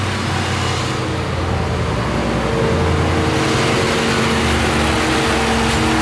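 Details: C4 Corvette Chevrolet V8 first started after new headers fitted and leaks checked: loud, throaty steady idle rising under light revs, no ticking or leak hiss; sounds healthy, much better than before.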